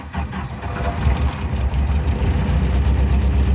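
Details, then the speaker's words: 1990 Jeep Wrangler YJ 2.5L 4-cylinder with starting problems: a bang right as it catches on a normal key turn, then a rough, uneven low rumble with a hiss; cause of the start-up bang unknown. "but you hear that banging sound you hear that hissing that comes on as soon as you start the engine so I mean over the problems I'm experiencing"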